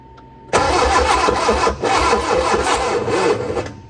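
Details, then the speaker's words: Barn-find Austin-Healey Sprite, both carb float bowls filled, pistons free, choke held up: starter spins engine at a steady, rather sluggish rate about three seconds with no firing; cranks, no start, cause unconfirmed, jump pack added next. "Let's see if it starts. I'm going to hold the choke up with this hand, run the starter with this one."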